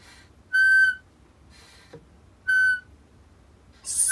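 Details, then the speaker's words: Homemade manual PVC vacuum pump, inlet open: three loud high steady whistles, one per pull stroke about every 1.5 seconds from the check valve; normal, disappears when something is connected. "you pull air without attaching anything to the front, the check valve will make a loud noise... like this. But if you connect something first, you won't be able to hear the sound."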